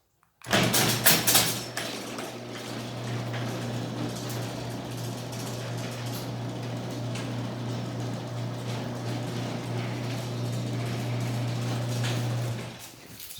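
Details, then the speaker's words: Garage door opener running a cycle: a constant low motor drone with a light mechanical rattle through the whole travel, seemingly louder than before while a second opener seems quieter; cause not clear. "gonna have to say it sounds like this machine has gotten louder and that one over there has gotten quieter"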